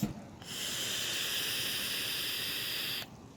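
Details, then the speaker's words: RPM2 vape after fitting a new coil, steady airy hiss for about two and a half seconds with no bubbling or crackle; clean dry draw, no gurgling. "don't know if y'all heard that, but there was no gurgling. Like, you can hear that. No gurgling."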